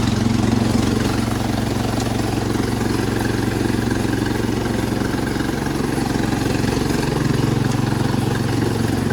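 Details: Cub Cadet 1250 hydrostatic garden tractor, loud raspy even drone at steady speed with a harsh unmuffled edge; the exhaust/muffler is worn out.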